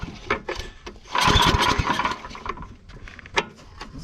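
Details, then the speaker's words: Yard Machines/MTD snow blower, recoil cord just replaced: several sharp recoil pulls with brief chuffs that never catch; won't start because the engine wasn't primed. "guess what johnny i forgot to prime it"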